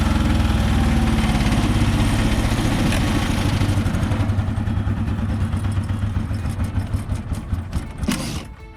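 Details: Komma Seisakusho MT-S411D harvester thresher while threshing: steady rapid thudding about three per second over heavy low engine drone; sorting section first suspected, traced to the binder (knotter) shifted out of position.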